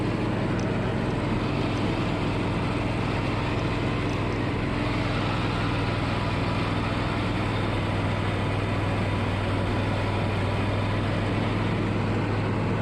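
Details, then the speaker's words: Riding mower unused about six months, new starter and battery fitted: steady low engine drone holding an even note, no misses or knocks; runs smoothly and healthy. "New starter and battery. It's a whole lot better."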